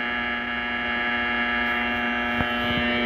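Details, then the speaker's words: 1941 Crosley 52TA AM radio after a partial recap, powered through a 40 W bulb: loud steady low buzz with even overtones and no program; mains hum caused largely by the workshop lights, much quieter with them off. "well I thought so too but then I figured out that these shitty lights I'm using all over the place in here are the real problem if I turn them off the noise changes it's a lot quieter less buzzing"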